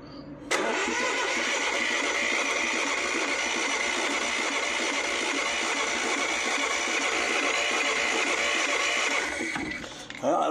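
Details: Lister ST2 diesel engine, being revived, injectors confirmed squirting fuel: continuous even cranking whirr for about nine seconds with no catch or firing, then stops; normal cranking.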